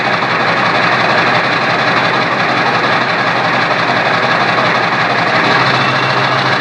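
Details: Diesel with a P9106 turbo, turbo not hooked up to the intake, 4-inch straight pipe: a loud rough roar with a steady high hiss and whine over it; normal turbo whine, sounds good.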